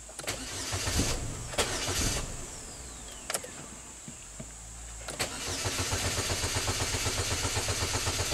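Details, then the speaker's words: 2010 Chevy HHR 2.2 Ecotec that starts then stalls, cranked during clear-flood after clearing codes: even, strong cranking about four pulses a second with no dragging or skipping; healthy crank, timing judged okay. "okay healthy crank so timing wise i think this engine is okay"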